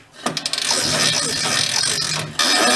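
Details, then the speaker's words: 1960s Ski-Doo snowmobile (stated as 1967 or 1969), left outdoors for decades, first slow pulls after priming: quick ratcheting clicks, then a dry rasping drag. The recoil pull starter makes a weird noise and isn't rewinding right. "pull pull start makes a weird noise so back you up so you can see what's going on it's not going back in right"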